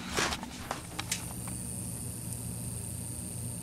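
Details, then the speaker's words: 25-inch U5000 arcade monitor chassis with vertical collapse, 30 V supply present but no deflection: low bee-like buzz, thin high whine and sharp ticks; flyback transformer suspected arcing internally, possibly bad caps too, to be replaced. "it is it sounds like oh you hear it ticking yeah i think our flyback is the problem and or bad caps yeah that flyback is stern there's a swarm of bees in there so we're gonna have to replace that"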